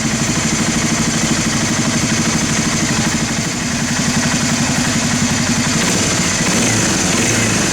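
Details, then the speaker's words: 1991 Honda TRX300 4WD that sat five years, after carburetor cleaning, new fuel line and pilot screw adjustment: even single-cylinder thumping at a steady idle, no hunting or stumbling, some hiss; healthy, well-set idle. "I think it's right about there now all we have to do is just readjust our idle speed and we'll have this adjustment"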